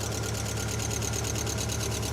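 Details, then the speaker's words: Ford Fiesta XR2i petrol engine first started after years abandoned, idling with a steady lumpy pulse, about six beats a second; misfire, running on three cylinders and rocking back and forth. "It's definitely idling back. We definitely got a misfire. There's definitely a misfire."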